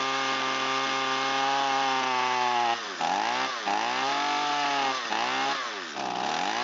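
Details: Echo SRM225 trimmer, start test on full choke and full throttle. High, thin two-stroke wail sags and surges on each throttle blip instead of pulling clean. Running a little lean; the mixture screw cap had been removed by someone earlier.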